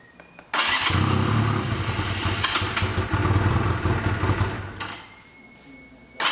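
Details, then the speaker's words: 1985 Honda Rebel, 2000 miles, first start after 17 years stored, cold on choke: single barks into life, idles unevenly with stumbling beats then fades; won't rev, smoked heavily while warming. "Okay, we're gonna let it run for a while because I can't even rev it now, but let it warm up and we'll see."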